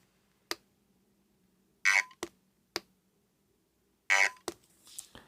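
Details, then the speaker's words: USB-C rechargeable handheld desktop vacuum cleaner, held near the microphone: power button gives two short buzzy chirps and clicks, but the motor never whirs; filter was clean and intake clear, and the unit turned out not to be broken. "Starts but then does nothing."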